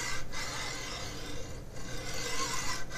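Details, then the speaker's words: MGN12H steel linear rail, 500mm, carriage pushed by hand: quiet even hiss with pauses at each reversal; one of the good rails running smooth and freely, unlike the sticking bad ones. "smooth that one's not too bad this one here also not too bad you can start to hear the sound difference in them or at least they marry pretty freely"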